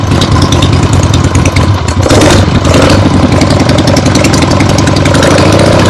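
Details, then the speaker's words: Freshly rebuilt 1975 Harley-Davidson XLH Ironhead Sportster V-twin on short neighborhood test ride; loud throaty steady drumming through open pipes with throttle blips, no knocks; a few carb farts, likely adjusted out once warm; healthy running engine. "Very happy with the way that went. This thing runs great."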